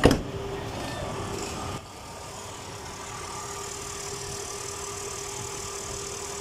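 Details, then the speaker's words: Truck AC compressor after the squeak fix, engine running with AC on: a steady low hum with a faint even tone and no squeal, chirp or rattle. The earlier noise has practically disappeared; normal compressor operation. "ahora sí miren vean hasta que los ruidos prácticamente desaparece"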